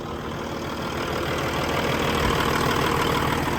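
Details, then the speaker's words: 2012 Peterbilt 386, Paccar MX13 diesel, high mileage, idling with the oil filler cap off to check blow-by: steady, even idle with light regular clatter of about three beats a second, no misses; healthy engine. "Unbelievable. These Paccar engines, as far as longevity, are incredible."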